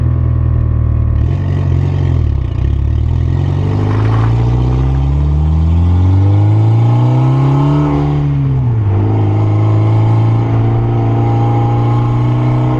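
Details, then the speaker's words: Mitsubishi Evo road test after a brake squeal repair: engine revs climb and fall through the gears, brakes quiet with no squeal or scrape. Squeal came as the weather warmed up and was fixed by sanding the rotor's outer lip with sandpaper. "so just took the car for drive and by the sounds of it we got it fixed"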